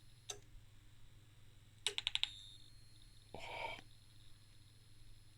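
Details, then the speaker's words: Danbridge JP12A 12 kV high-voltage insulation tester (c.1985?), voltage cranked up: burst of sharp snaps then hissing crackle over faint hum; high-voltage spark-over, suspected in the cable, with voltage racing on the meter. "did you hear that it was definitely spark over somewhere and that is probably in the cable or in its scary"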